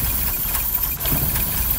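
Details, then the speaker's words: Long-dead mechanically fuel-injected car with electric fuel pump, started with its electrical system bypassed and run on a few jumper wires: steady, even idle with no misses or knocks; normal running. "you go I have started and am running in fact a very long dead car using only well in this case six wires"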